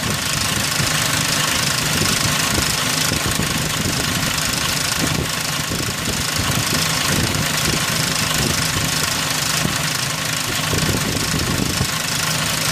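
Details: 2003 Ford Ranger 4.0 at idle: loud uneven clattering rattle, no steady beat; timing chain noise suspected.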